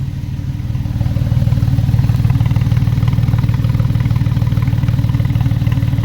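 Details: Porsche 996/986 petrol flat-six idling steadily after an engine rebuild with cam deviation at two degrees on both banks; even, deep exhaust pulse with no ticking or rattle, normal idle.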